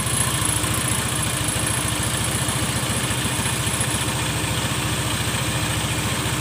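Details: Honda Scoopy FI injection scooter with complaint of sluggish pull and top speed stuck at 70–80 km/h, started before CVT setting: steady, even single-cylinder idle around three and a half beats a second, no misses or rattles; sounds healthy.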